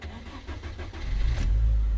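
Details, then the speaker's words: K-series engine starting after the car sat for about a week: brief crank, then a smooth, steady low idle with no tappety ticking or misfire; sounds healthy. "rather nice there's the engine on and it sounds about as good as you could get a k series 2 sound"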